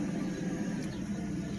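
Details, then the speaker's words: 1997 Mercedes S600 V12, very first start with replacement ECUs and original drive authorization module, key and coil: low steady rumble, all 12 cylinders firing, smooth idle. "Oh, it runs. Very nice. All 12 cylinders are running."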